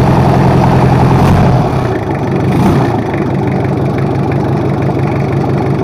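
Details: Toyota Kijang 2L diesel just rebuilt after low compression and an abnormal noise, running in at a raised RPM: steady, even fast-idle clatter with no knocks or misses, settling in fine.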